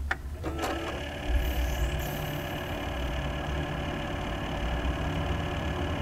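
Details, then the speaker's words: Corsair H100 water-cooling pump on its slowest setting, new power supply and eight quiet fans running: steady whirring hum with a thin constant whine, louder than all the fans combined; a known pump defect, fixed by Corsair replacing the unit. "that noise you hear is entirely hello from the pump they're eight fans running while you here's the part many things going to turn the pump now from the slowest setting the machine is a Bible the pump is quite loud louder than a the family's route really louder than all the fans combined"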